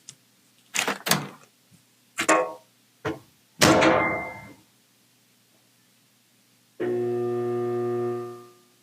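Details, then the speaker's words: Samsung dryer motor and blower assembly, mic inside the drum; steady low electrical hum without starting or spinning, from weak motor windings, defective motor to be replaced. "the dryer makes humming noise when we try to start it. It does not start."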